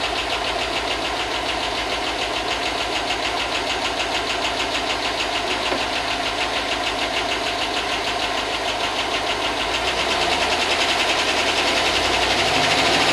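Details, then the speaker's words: 2005 Chevy Tahoe 5.3 LS V8 that hadn't run in a long time, running after a no-spark fix: a sharp, regular top-end tick about three per second at idle. The owner hopes the lifters pump up. "it's running well it hasn't it hasn't run in a long time so hopefully the lifter pump up and that no away"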